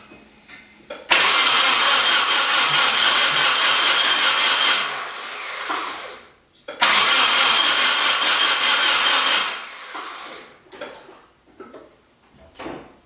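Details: Nissan 240SX, ran fine until a new clutch and flywheel were installed: two long bursts of starter cranking of about four seconds each, never firing; cranks but won't start, cause unknown.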